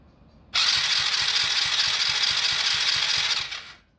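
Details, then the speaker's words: Lifan 110cc pit bike engine cranked for compression test with rubber-boot gauge at spark plug hole: light quick cranking pulses, three or four per second, no firing; about 40 psi, low compression, possibly worn piston rings or scored cylinder walls. "So yeah, we're at like 40 psi, which is not good. So that's our issue with this guy. So it could be the piston rings, or the cylinder walls are scored or something."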